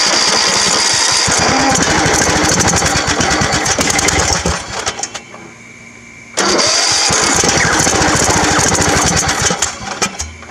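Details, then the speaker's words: Old Craftsman riding mower (about 19 hp) with old gas still in the tank: two long bursts of fast, raspy cranking, but it never fires. Cranks but will not start; owner suspects the old gas and a dirty carburetor. "so if we drain out that old gas clean the carburetor it should be running"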